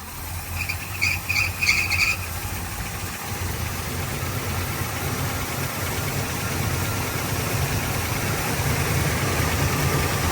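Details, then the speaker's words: Warm idle on a 1972 Chevrolet Nova V8 with a Holley carburetor after adjusting the choke, leaning the idle mixture and adding timing: a low, steady burble with a brief high chirp (chrome pulley/belts). The idle is now settled and even, with a slight fuel pump leak noted. "Definitely happier. All right, so a little bit more adjustment to idle speed and mixture."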